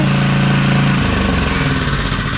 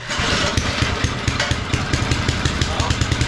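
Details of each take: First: Small two-stroke edger engine after the idle mixture screw was reset and its loose nut addressed; started without choke. Catches and settles into a steady, even buzz with no misfires or surging. Normal running. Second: Lawn edger started after car cleaner spray with air filter open: small engine runs rough, then a loud high scream sweeping down in pitch as it slows, attributed to the recoil starter squealing.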